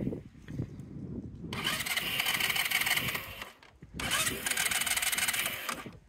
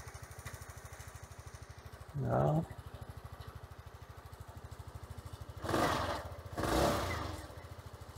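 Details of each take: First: Sym Jet 14 fuel-injected scooter, hot, with starting trouble and sporadic rpm fluctuation: fast even cranking, never catches; suspected ECU overheating, compression, crank sensor and fuel pump considered, valves to be checked after cooling. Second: Sym Jet 14 fuel-injected scooter with hard starting and RPM fluctuation, idle screw set for about 1000 rpm: a steady, even single-cylinder beat with a few louder swells; idle holds stable and healthy. ECU overheating suspected.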